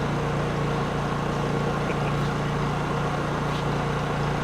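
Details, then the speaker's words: Honda EU3000is inverter generator, just started on first manual recoil pull with choke: quiet, even hum with no knocks, surging or rattles; normal idle. "Look at that. First pull. See how quiet that is?"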